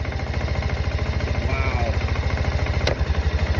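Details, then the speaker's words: Kawasaki Bayou KLF300 ATV idling, wouldn't rev up or make power: steady thumping idle with one sharp knock near the end; faulty rectifier overcharges above about 14.5 V, so the CDI miscalculates ignition timing; carburetor ruled out. "you hear that that was a knock that's because the CDI is having trouble calculating when to send the impuls for the ignition for the spark"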